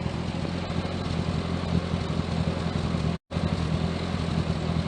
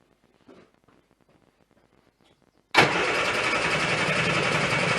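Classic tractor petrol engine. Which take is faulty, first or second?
second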